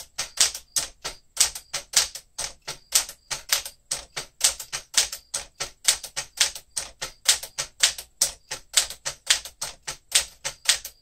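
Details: 1967 Sears Tower Citation typewriter, elite typeface, typed a little fast: quick run of crisp, sharp key clacks, roughly two a second, unevenly spaced; action sounds free and healthy, normal typing.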